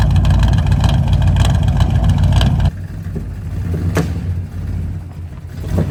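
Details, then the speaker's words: Budget small-block Chevy 350 just swapped into a 1985 square body Chevy truck, not yet fully warm, timing about 10–12° initial: revs then rough idle with sharp pops backfiring through the carb; owner suspects the ignition module. "but it has that backfiring issue and you heard it when I went to back of the truck up there that's all it was doing just popping backfiring"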